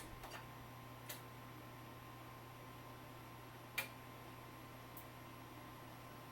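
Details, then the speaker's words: NEC CRT monitor connected to a Macintosh IIcx: faint clicking chirps every second or few over a low hum. The monitor keeps trying to power up but never lights; the monitor is faulty. "you hear it chirping trying to start but it won't start ah more things I have to fix"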